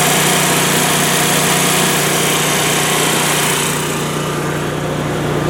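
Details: Generac natural-gas home standby generator, manually started: steady even engine drone with a fast smooth firing beat at no load, quieter once the enclosure lid is closed; normal healthy idle.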